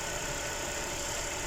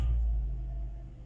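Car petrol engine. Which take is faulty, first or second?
second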